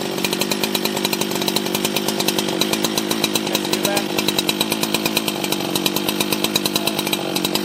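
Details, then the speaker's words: Husqvarna 365 chainsaw, 24 years old, first start after full teardown and rebuild: high two-stroke buzz with a fast, even pulse holding steady through the cut; saw runs clean and strong, normal running. "and take it all back that's that's the sound of a husky that's how that's how a husky runs my god"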